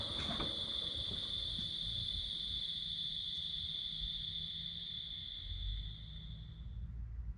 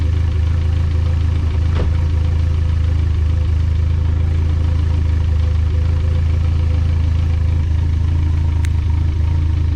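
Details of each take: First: Built turbocharged engine on 20W-50 oil before switching to 5W-20, microphone next to the intake pipe after shutoff. A thin, steady high whine fades over roughly 8–10 seconds as the ball-bearing turbo coasts down; normal turbo spool-down. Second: Built engine just switched from 20W-50 to Valvoline 5W-20 oil: an even idle rumble with a faint quick tick keeping pace with the engine, about four a second, just as loud or louder after the thinner oil: valvetrain lifter tick.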